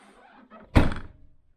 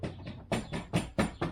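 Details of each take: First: 2014 Land Rover Freelander 2 SD4 tailgate shut after trim panel removed: one solid thunk dying away cleanly, no jingle or metallic rattle; previous clanky jingle traced to a loose metal trim clip bouncing around inside; tailgate closes without rattle. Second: 2014 Land Rover Freelander 2 (LR2) SD4 tailgate: a quick metallic jingle in about five bursts, like a bag of spanners, heard over certain surfaces and on opening the boot; owner suspects the locking mechanism or the rear wiper linkage.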